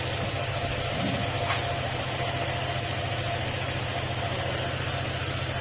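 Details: Honda ADV150 after replacing the engine block and fuel pump, clearing the ECU error codes and resetting: steady, even putter with a constant low hum and no misses; normal idle at the correct engine speed.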